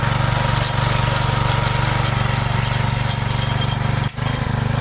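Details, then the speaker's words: Free neglected Briggs & Stratton single-cylinder rototiller, revived with choke, throttle and stuck cables freed, short test run; steady even beat at constant speed, no missing or rattling, running perfect. "Well, I actually think this is running perfect. It's running really nice."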